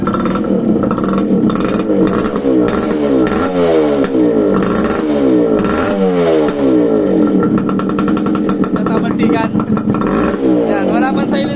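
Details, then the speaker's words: Restored motorcycle, cold start after refitting carburetor, clutch and second-hand exhaust pipe without silencer: loud raw open exhaust bark through several throttle blips, clean pickup, no knocks; engine itself fairly quiet, runs fine. "Pero okay na. Yan. Medyo tahimik yung makina niya, hindi naman gaya ng sobrang ingay."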